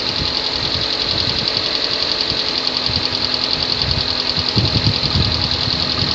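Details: 2014 Kia Sportage 3 facelift, AWD, 13,000 km: irregular light tapping, a few per second with louder bursts, over a busy, hissy idle. Engine knock, cause unclear.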